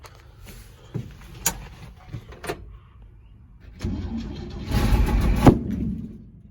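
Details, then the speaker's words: 1965 Chevrolet C10 short bed, sitting since 1994, first start attempt after cleaning the air filter: slow cranking catches into a rough start, then one sharp loud boom; owner unsure of the cause, fuel leaking from the pump. "Well, that didn't sound good. Sounded like the muffler blew out or something. Something exploded. I don't know what the heck that was. That was a hell of a boom, though."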